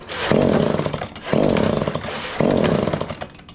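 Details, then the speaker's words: Echo PB265L backpack blower, cold after sitting 4–5 days, before its service with a new carburetor, fuel lines, filters and plug. The engine flares in three uneven bursts about a second apart and sags each time; a rough-running two-stroke. "It'll hit, but she just don't want to run good."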